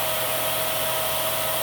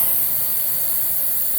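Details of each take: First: Miele Swing H1 (Quick Step) upright/stick vacuum, airflow test on high through a 35-to-32 reducer: steady high-pitched whine holding one pitch, dipping briefly mid-run, then winding down; airflow lower than the tester expected. Normal running. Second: Miele H1 Swing (Quick Step) stick/upright vacuum, suction test: steady high airy hiss over motor rush as air leaks past the open bag indicator, preventing a full seal.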